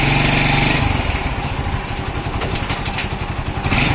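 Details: 2002 Hero Honda Splendor: small single thumping unevenly about four beats a second with scattered metallic clatter; abnormal engine noise, cause unclear.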